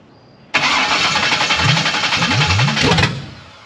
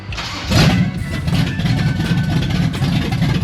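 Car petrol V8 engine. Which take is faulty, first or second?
first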